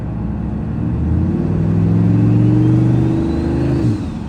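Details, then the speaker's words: Truck with a freshly swapped replacement engine with a stage 3 cam and turbo, running only about 5 minutes, blow-off valve fitted: pulls up smoothly into a little boost with a rising tone, then eases off; clean acceleration, no knock. "Just got into a little bit of boost. Not bad for an engine that's been running for 5 minutes."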